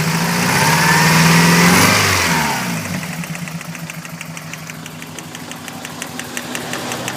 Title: 1992 Celica 5SFE rattling noise